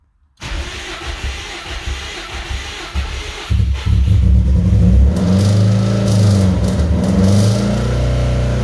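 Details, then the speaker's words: 2003 Subaru WRX rally build, first start after timing work, in neutral with the clutch in: it restarts, then idles lumpy with an uneven thumping beat and hesitant revs, misfiring, and dies; owner wonders about compression but the cause is unknown. "Idling anyway. It ain't happy. It's misfiring. And it died."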